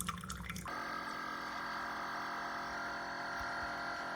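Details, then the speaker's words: Chefman single-serve drip coffee maker brewing: steady buzzing drone with layered whine at even pitch, an unusual pump noise of unknown cause; water came out not very hot. "That is a weird noise. Do you hear it? Uh, okay. I'm not used to that."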